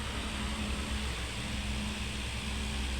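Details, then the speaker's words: Electric fan after shaft bushing replacement, spins freely by hand, running on speed 1: soft constant hum, low steady tone, no clicking or ticking; runs smooth and quiet, normal. "wala, no? So, okay na yung ating electric fan."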